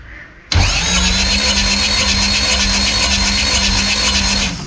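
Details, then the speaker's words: Fisher Spyder's Arden 8-port alloy-head Mini engine: steady starter whine with even, light cranking and no firing. Compression reads nothing on cylinders 3 and 4 and about 190 on 1 and 2; the owner suspects a blown head gasket between 3 and 4. "No compression on three and four. Three and four are both showing nothing. One and two are showing about 190."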